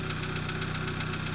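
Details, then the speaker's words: Light, quick, even ticking over a steady idle that follows engine speed; noisy valve lifters, recorded after an oil fill and just before adding Rislone Engine Treatment. "so let's go ahead and add this entire container and let's see if it does the job you can hear the noisy lifters right now"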